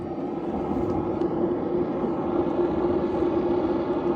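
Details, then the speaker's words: Diesel heater on a sailboat, first run by an inexperienced owner: loud steady roar with an even ticking fuel pump beneath, no rattles or surging. Exhaust working, heat soon builds to about 70°; running normally. "It just sounds like it's drinking something. Or it's pumping something somewhere. But I can't feel any heat. It sounds like it's actually it's working."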